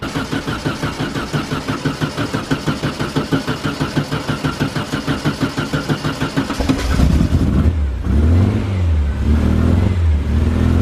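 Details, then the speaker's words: VW Beetle air-cooled engine, first start, mic near on grass: even cranking about three beats per second for nearly seven seconds, then catches into lumpy, healthy idle. Normal start. "so that's it start there that's it started"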